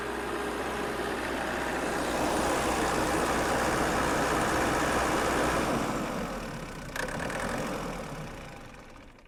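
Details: 16 kW diesel generator after a self-done valve job, head gasket still to fix, primed and started: steady but slightly lumpy beat, about four pulses a second, then fading. Owner suspects a misfire, possibly the third cylinder, unconfirmed.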